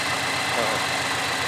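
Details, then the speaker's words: Subaru BRZ idling after the Deatschwerks DW300 fuel pump was reinstalled with its forgotten retaining clips; the loose pump had earlier made the car cut off at idle. Now a steady, even idle with a regular low pulse and no hunting or stumbles. "so I left the car idling the way it is right now. It's just idling."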